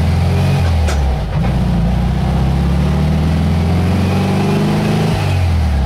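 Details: Warm air-cooled engine on road test cruising about 50–55 mph, roughly 2,900–3,200 rpm: steady low drone with tinny body buzz; owner notes a shimmy possibly from poor tyres. Healthy, normal cruising.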